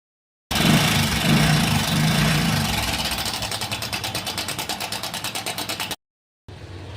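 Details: Hero Passion Pro i3s motorcycle at idle: quick metallic kit-kit rattle, roughly three per second, over the engine, indicating a worn timing chain.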